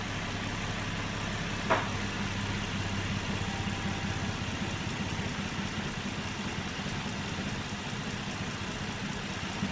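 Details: Nissan Murano at idle: steady low drone with a faintly uneven pulsing beat; rough idle, cause not found.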